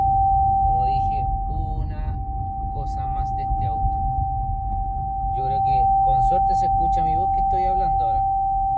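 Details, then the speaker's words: Haval H6 HEV cabin while driving, windows closed: a steady, piercing single-pitch whine over a low rumble. It grows louder with the turn signal on, nothing is connected, it is not the radio, and it continues with the car off; origin unknown. "Enciendo el intermitente y el ruido se hace mayor. ¿Ves? Nadie por ninguna parte. No hay nada más conectado."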